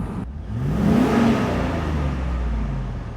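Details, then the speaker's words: 8.1-litre V8 towing truck with over 200,000 miles, revved in neutral after running the recommended synthetic oil, which cleaned the engine over 6,000 miles: it rises smoothly and settles to a steady, calm, much quieter run with no pre-ignition, pinging or sputter. "you see you hear how calm it is yeah yeah I mean I've I feel it's like a it kind of reminds me that that little Tesla thing you can't hear it"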